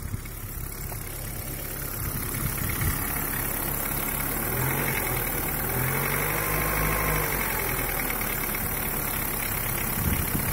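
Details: Daewoo Nexia 8-valve at cold idle: steady, fairly quick knock about three to four a second over the engine note, seeming to come from the crankshaft, getting slightly louder over five years; bottom-end knock, cause unconfirmed.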